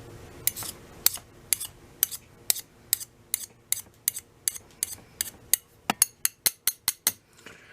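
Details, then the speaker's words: Hand-made gasket scraper from brazed leftover steel, tip (about ½ inch) heated in a wood stove and quenched, tapped to test: crisp bright tings, about seventeen in eight seconds, quickening at the end, versus the dull sound before; the quenched steel rings hard. "I say it's a little bit hard. It's good enough for a scraper."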